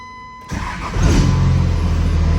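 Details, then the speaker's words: Second-gen diesel after new VP44 injection pump install and line bleeding: short crank, catches quickly into a low steady rumble with a little belt squeak from residue on the belt; healthy start. "Oh, buddy. Little squeaky belt. Had a little residue on it from something. Well, sounds like she's gonna purr like a kitten now."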